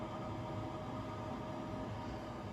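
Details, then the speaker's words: Furnace squirrel cage blower, reassembled after its loose, worn collar let the fan wobble and bang the cage, now fixed with a longer bolt cranked tight: a steady, even hum with an airy rush, no banging, putting heat into the house. "Squirrel cage fan is not making any noise, and it is putting heat into the house."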